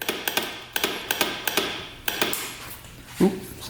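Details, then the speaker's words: Honda FourTrax 350 4x4 ATV that sat neglected for years: lights work, but pressing the starter gives only sharp, irregular clicks, two or three a second, with no cranking. The kickstart works, so the engine isn't seized. Fuses and solenoid are checked next. "cool it's like starter does not work it's just clicking back here"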